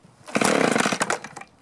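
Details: Echo two-stroke leaf blower that started then died, after aftermarket carburetor, new plug, fuel filter, clear spark arrestor, unscored piston and freed gummed primer bulb: fires on choke, crisp buzzing revs evenly; running properly after repair, fuel tank vent suspected cause.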